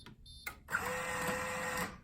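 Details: Coinco bill validator powering up after its sensors were cleaned: brief steady motor whir of about a second, then quiet with LED on; normal start-up.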